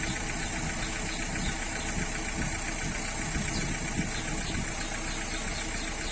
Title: ruido al acelerar en motor 1.3tce de Renault.